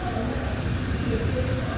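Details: Toyota HiAce Super Grandia diesel after replacing the alternator pulley, which had kept spinning and been noisy at shutdown: a steady, even low rumble with no squeal or rattle from the front drive; healthy, and the noise is fixed.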